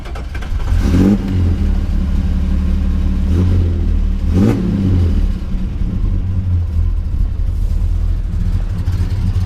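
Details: 1962 Plymouth Valiant V200 wagon, mildly built slant 6 with mild cam and tuned carb, after spring mechanical work: catches quickly, a couple of blips, settles to an even steady low idle, no knocks or misses.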